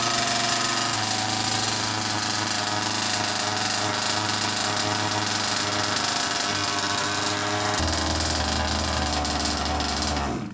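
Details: Rebuilt two-stroke in a Baja 5B RC car, new ring, just started on choke in two pulls: high buzzy idle holds steady and even with no misfire or rattle; clutch engages early, possibly from a new shoe. Normal idle.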